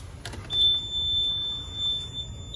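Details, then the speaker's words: Auction diesel truck, key-on before starting: a steady high-pitched buzz of about two seconds; fault code 1 shows low air pressure, expected to clear once the engine runs. "At the faults 1, it's low air pressure, so that probably go away when I start it."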